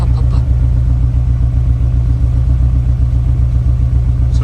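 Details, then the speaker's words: Honda S2000 with cracked Amuse titanium exhaust and exhaust rattle: heavy low idle with steady uneven stumble two or three times a second; misfire, probably from two tight valves, in for valve adjustment. "This core is very thin. Sounds like a miss."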